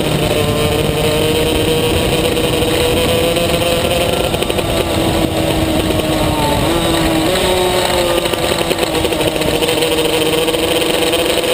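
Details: Maxter KZ2 two-stroke kart engine, high-pitched steady rev with small pitch jumps that don't carry the kart forward. Slipping clutch.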